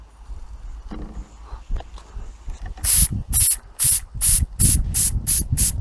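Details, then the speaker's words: Antique model steam engine on its first test in many years, fired with firelighters from cold water: regular exhaust steam puffs, nearly three a second and picking up slightly, over a low rumble. Normal running. "we do have steam so we're getting somewhere in hindsight you probably should have started by putting the hot waters intamin I actually started with cold water so it's a tall order to ask fire lighters to heat all this about the water I think we have liftoff"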